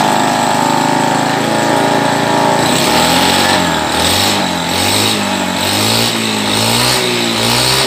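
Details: Carburetted Honda Beat scooter that had badly cut out ("ngepos"), idling after reassembly while the carburettor air screw is adjusted. Speed drifts gently up and down but it runs steadily without misses.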